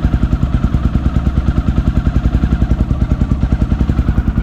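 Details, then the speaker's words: 2008 Honda Twister 250cc motorcycle after carburetor adjustment for hard starting and no idle: steady single-cylinder thump holding idle without stumbling or dying; idle now good, though it still hesitates slightly when accelerating. "agora ficou bom de lenta Galera vocês viram Cara vocês viram como que ficou B de lenta relê o dedo ela pega mano ó e não apaga"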